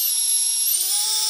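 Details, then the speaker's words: Micro quadcopter brushless motor after bearing replacement, spun with props off at no more than half throttle: smooth, very high, steady whir rising slightly in pitch, with no grit or rattle. Normal motor run. "I never go above half throttle I don't go full throttle when I'm doing this cuz it's it without having the load of the prop on there you can hurt your motors pretty good oh that sounds so much better than this"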